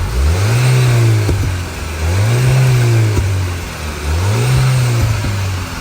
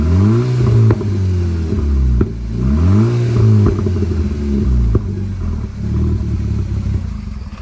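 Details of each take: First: 2010 Volkswagen GTI after replacing the leaking rear muffler exhaust sleeve clamp: three free revs with a deep, smooth exhaust note and no puffing or hiss, much quieter, exhaust now sealed and normal. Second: 2010–2014 Volkswagen GTI at idle and revving: loud, raspy exhaust roar climbing with revs and sputtering on decel from an exhaust leak at the downpipe-to-muffler sleeve clamp, to be replaced; louder under load, felt in cabin.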